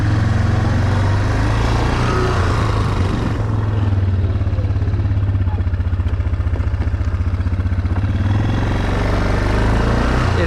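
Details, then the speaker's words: 2009 Yamaha Wolverine 350 ATV idling after an idle adjustment, then shifted from neutral to reverse to drive. A steady low idle rises gently as the CVT belt takes up drive, with no jump or shudder. This is normal, smooth CVT engagement. "no jumping of the cvt comes up really well shifts quick i'd say that's a good a good idle right there it sounds good"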